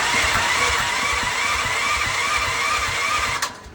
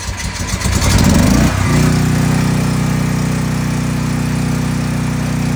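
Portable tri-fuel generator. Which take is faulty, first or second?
first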